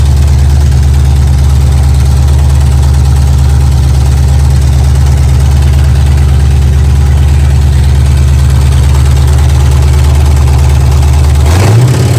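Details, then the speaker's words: Abandoned 1967 Mustang 289 V8 revived after 22 years, heavy idle: loose, uneven rhythmic clatter about three per second; owner suspects flex plate hitting the dust cover. "it's almost like the flex plate is hitting the dust cover is what it sounds like to me inside"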